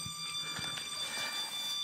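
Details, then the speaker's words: 1977 Camaro Z28, warmed up with thermostat open at about 190°: a steady shrill squeal from the engine, only at higher RPM; source not yet identified. "so there's a bit of a squeal coming from the engine I don't know what it is I don't like it um but it only does it at higher RPM"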